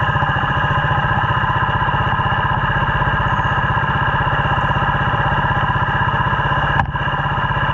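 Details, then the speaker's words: Yamaha 80cc quad after fix-up: small single idling warm with a rapid, even putter, slightly high but steady with no misses; normal idle. "She's actually sitting here idling. Sound like she died a little high, but here and there, but I ain't even going to complain about it."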